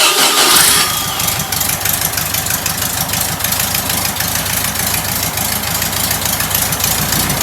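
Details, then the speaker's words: First start of a rebuilt air-cooled VW flat-four engine once left on a sidewalk: it cranks, catches within a second and settles into a steady, even idle with busy valvetrain clatter; normal start and idle. "This is the engine that was on the sidewalk, and it's back. It's alive. It's running."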